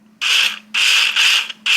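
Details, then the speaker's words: Nileole automatic card shuffler, gear train with some corrosion at the spindles, before oiling: four short, harsh whirring bursts, each under half a second, with a dry raspy edge. Dry, unlubricated gear train bearings need oil. "it's not terrible but it could be better and it's uh just service you know not hard"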